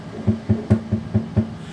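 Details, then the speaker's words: Bambu Lab X1 Carbon 3D printer with aluminium enclosure, door closed: regular deep booming thumps about four or five a second with low hum ringing under each; enclosure panels resonating at some frequencies, amplifying sounds. "However, it does resonate at some frequencies, as you can hear,"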